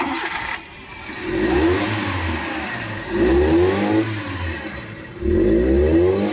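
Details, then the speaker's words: Maruti Eeco on CNG, codes P0133/P0130/P0171, won't exceed 20–30 km/h, stalls at idle, runs slightly on petrol: three laboured rev blips climbing sluggishly and sagging, odd hollow intake-side noise; restricted exhaust from choked catalytic converter. "आप इसका noise सुन सकते हो, खड़ी गाड़ी भी पूरा race नहीं ले रही है और CNG में चलती भी नहीं है।"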